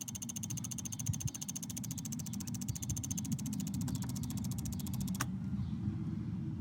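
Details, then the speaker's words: Chevy/GMC 5.3L truck engine idling: fast light even ticking over low idle rumble, normal injector, relay and solenoid clicking, not lifter tick. "I'll share a few video clips now of some of those quieter ticking sounds that are common under the hood that can kind of make us think that there's a bigger problem than there is"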